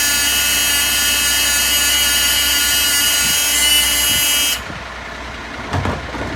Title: 665 with a buzzing sound